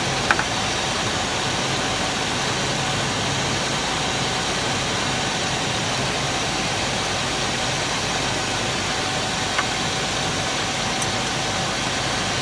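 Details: 2000 Chevy K2500, 5.7 Vortec with CSI injection, after no-start repair, distributor timing set within spec toward zero: smooth, even idle with steady hum, no misses, ticks or surges over about thirteen seconds.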